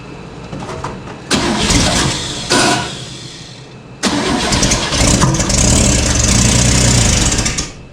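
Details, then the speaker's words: 1970 International Harvester 1100D pickup with rebuilt, bored engine, first start after swapping the distributor; cranks, catches and runs loud and raw with sharp popping pulses over idle. Suspected exhaust leak, source not found. "She popped on. She sounds like a crazy exhaust leak."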